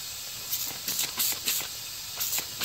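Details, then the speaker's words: '97 Ford F-350 7.3 Powerstroke with an air-to-air intercooler, engine off, pressurized in a boost leak test: sharp airy hisses in short bursts. The cracked driver's-side boot is the worst leak, with both plenums and a pinhole also leaking. "so I did find a few little leaks probably that crack in the boot is the worst of them"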